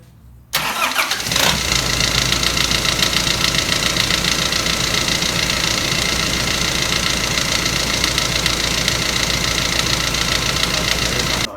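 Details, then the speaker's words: Engine rebuilt and stripped but no fault found inside: catches and settles to idle with a harsh metallic rattle on top; caused by a worn auxiliary belt tensioner bearing. "guys so you would be concerned if you have don't know anything about engines and you hear that noise yeah you'd be concerned"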